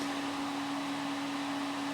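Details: Home-built Windows XP PC with parts swapped from another computer: steady loud fan roar with a constant hum that never changes speed, powers up but shows no display; owner suspects the graphics card.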